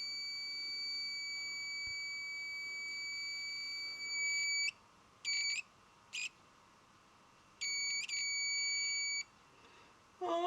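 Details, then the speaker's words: Mercedes 508D/613D radiator fan thermostat switch bench-tested in boiled, cooling water: multimeter continuity beep in bursts as the switch closes and opens; owner finds it a bit slow but thinks it works; switch closed. "You can hear the ohm meter is making that beep noise. So now it's working."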